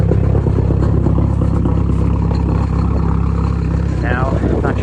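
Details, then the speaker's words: Worn A/C compressor clutch bearing on an MK4 Jetta ALH TDI, cold start at about -1 to -2°C outside. Loud steady diesel clatter at idle with a rough, gravelly grind underneath. Owner believes the bearing and clutch are at fault, ahead of an A/C delete. "if it's coming over camera very well, but that's terrible grinding noise is the bearing and I believe the clutch for the AC compressor."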